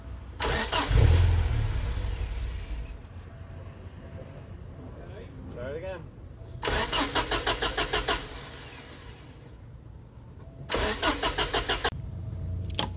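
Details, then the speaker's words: 1989 Porsche 944 2.7 that has been temperamental to start: two bursts of steady starter cranking at about three turns a second, never catching; the injectors aren't delivering fuel. Spark is tested next. "we'll get back to you when it runs well it decided it doesn't want to run again so great"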